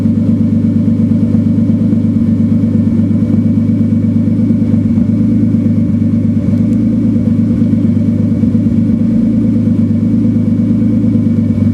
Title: Turbo 328 misfiring at idle. Super confused!